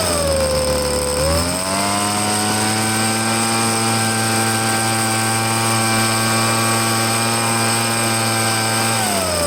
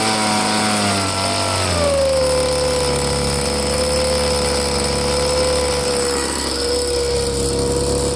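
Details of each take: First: Petrol leaf blower being checked out: two-stroke buzz climbs cleanly from idle to a steady high pitch, holds even, then drops back smoothly; runs normally with good power. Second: Two-stroke blower on fresh gas with Seafoam added, purge bulb pumped and choked to start: a steady buzz whose pitch drops and holds even, reluctant to throttle up. The carburetor may still need cleaning. Poor throttle response.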